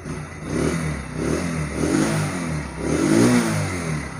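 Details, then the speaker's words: Motorcycle that vibrated heavily at 40–60 speed, shaking the rider's feet and body, after the fix of tightening a loose mounting with a 17 mm spanner: three clean rev blips rising and falling smoothly, no rattle or buzzing; noise and vibration gone. "थोड़ी race देकर check कर लेते हैं हुआ है मैं अभी देखिए दोस्तों बिल्कुल साइंटिस्ट ठीक हो गई है यहां पर कोई शोर पैदा नहीं हो रहा है"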